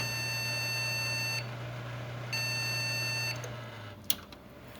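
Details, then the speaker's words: Desktop PC with no video signal gives long, high, repeating beeps over a low fan hum; they persist with the RAM reseated in the same slot, so a faulty memory slot is suspected. "como pueden escuchar nos están mandando los mismos pitidos entonces eso quiere decir que nuestro slot tiene algún fallo y obviamente por eso no la reconoce"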